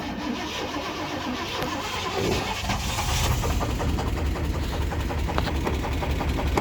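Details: 350 V8 cranks, catches, then idles with a sharp, steady knock after cooling down: severe rod bearing knock, bearing on #1 rod essentially gone; sounds almost like a lifter.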